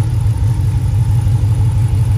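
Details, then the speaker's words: Engine after Moe's Performance HPT camshaft kit install with Hemifever tuning, exhaust with resonator: deep, choppy lopey idle with uneven loping pulse and strong low rumble; healthy engine with aggressive aftermarket cam. "I've always loved that sound mm that's so great"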